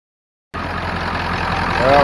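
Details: Old truck fixed days later: engine comes in abruptly and holds a steady, even idle rising slightly with no misses; normal start and idle.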